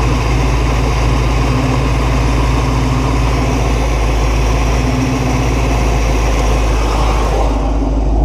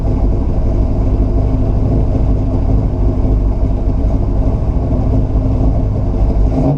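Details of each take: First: 1969 Buick Special Deluxe that would not stay running more than a few minutes: low, loping idle near 700 rpm with a rhythmic, slightly uneven burble, otherwise steady. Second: 1969 Buick Special Deluxe V8 with fuel-starvation stalling, after carburetor rebuild and moving distributor timing: deep steady rumble with slightly uneven beat, now holding idle on its own but still lumpy; rough idle.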